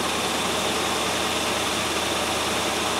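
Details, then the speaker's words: 1997 Land Rover Discovery 1 warm idle at about 1000 rpm, slightly high, running steady and even with no standing-out knocks; a bit rattly at startup but sounds healthy now, starts off the key after repair. "it doesn't sound too bad does it it was a bit rattly at startup but i expect that"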